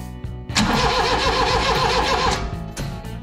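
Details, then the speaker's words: Mitsubishi Minicab U42T daily driver that sat about two months: starter spins the engine evenly at about three to four beats a second but it never fires; no ignition spark found, coil to be tested next, cause unconfirmed. "okay so we still got no spark i might have to commandeer some help to check uh the coil that's what we'll test next"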